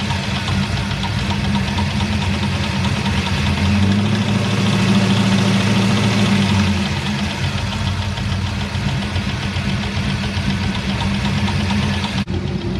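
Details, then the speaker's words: GM engine idling, valve cover off: a light, steady tick about three times a second from the top end, which began as a squeak after the shifter broke; a GM tech suspects a valve lifter, not confirmed. "now i did talk to a guy who's a gm tech and he said that he believes that it's going to be a valve lifter"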